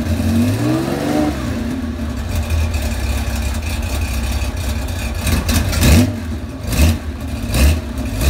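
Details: Cold 35-year-old Porsche 911 SC wide body, 3.3 flat-six with PMO carbs and M&K headers: rough uneven revs, pops and stumbles on throttle blips; backfiring, smells rich, runs smoothly once warm; cause unconfirmed.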